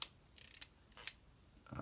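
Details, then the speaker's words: Short dry scratchy squeaks as the aperture ring is swept back and forth on a Minolta XE-5 35mm SLR with 50mm f/1.7 lens; aperture follower squeaks and needs lubrication. "sometimes it will squeak we heard it there so we can hear that little bit of squeak so that must be taken care"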